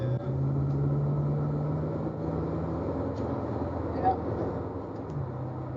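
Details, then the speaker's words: 1965 Ford Thunderbird cruising, after fitting a 1957/58 Mercury rear differential replacing one with annoying whirl at 40–60 mph; still needs pinion seal: steady low road and engine drone, no rear-axle whine or howl; differential much quieter. "So the rear diff's much quieter now. It needs a pinion seal."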